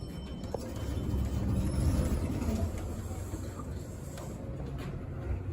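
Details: Vintage elevator in a building that probably has one elevator, making a weird noise while the car travels: a low rumbling drone that swells and settles with a faint rhythmic throb.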